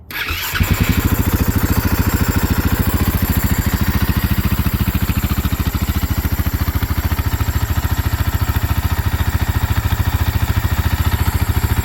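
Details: 2010 Husaberg FE570 single-cylinder with stock muffler and exhaust, after fixing kill switch wire pinched during turn signal install: catches right away, settles into steady even thump, no misses or knocks; normal start and idle.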